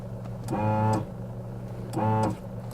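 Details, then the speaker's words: Car horn that stopped working properly after a long highway trip: two short presses give only a muffled, buzzy rasp or crackle instead of a clear, strong note; cause unknown. "знаю слышно или нет но по факту просто какой-то треск короче непонятный"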